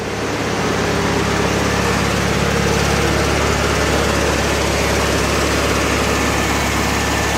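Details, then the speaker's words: VW Beetle with replacement engine from estate sale, warming up after fixing one bad wire: steady even idle with smooth low chug, no misses or knocks; earlier stutter gone, carb not yet adjusted. "Sounds good though. Yeah, that stutter went away. I I think I think so."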